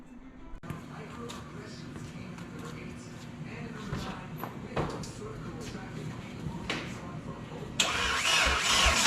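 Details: First start in a year after motor install with belt bottom end, new E85-compatible push-lock AN fuel lines and fresh coolant: cranks briefly and catches, lumpy idle with blips, then a hard rev; engine fires and runs.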